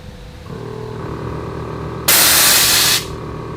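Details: Car with newly installed Viper air suspension (front lift), engine idling, then a loud, sharp one-second rush of air as the bags vent; a normal air suspension dump.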